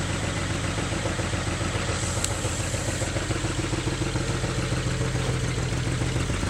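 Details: BMW N54 engine misfiring: lumpy, uneven idle with an irregular stumble and chuff, as if one cylinder is dropping out; cause not yet diagnosed.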